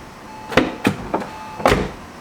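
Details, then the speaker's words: High-mileage Porsche 996 911 Turbo: the power window motor gives four short whirs about a quarter second apart, so the window creeps up or down only a tiny bit per press and does not drop properly when the door opens. "the switch when you press it it will go up but only a tiny bit at a time same thing when going down it doesn't work properly when you open the door"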